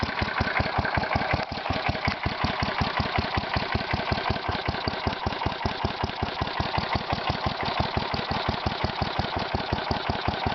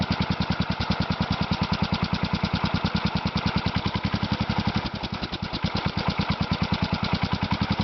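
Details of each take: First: Kohler Magnum 16 hp (K361 block) single-cylinder engine for a Bolens 1256, running off the battery of a Bolens H14: slow, sharp chuffing pops at a lazy, slightly uneven idle from a leaking muffler; the idle is set too low. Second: Kohler Magnum 16 hp (K361 block), a used engine for a Bolens 1256 tractor. A strong, steady single-cylinder thump at an even, unhurried speed with no misses or surging; running well.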